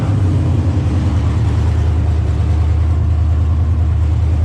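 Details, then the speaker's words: 1980 Camaro V8 after some tuning, oil leaked onto the header wrap and headers due for replacement: deep loud rumble, steady but slightly lumpy and uneven; starts fairly well, battery a little weak, ignition timing possibly slightly off. "it seems to start fairly good battery's a little weak timing might be a little off and it runs fairly good"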